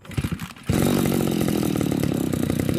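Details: Two-stroke grass trimmer after a simple carburetor cleaning and refueling: a few pulls, then it fires at once into a fast, steady buzz with even firing. The engine runs properly.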